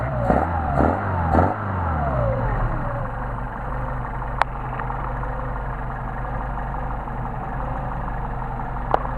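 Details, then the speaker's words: Mercedes 190SL with re-tested Solex 44PHH carburetors idling, no load; turning the idle mixture screw in brings an uneven, rolling misfire, meaning the mixture is already too lean; fix is backing it out about 1/8 turn. "And you can hear there's get that rolling misfire, so we're already too lean."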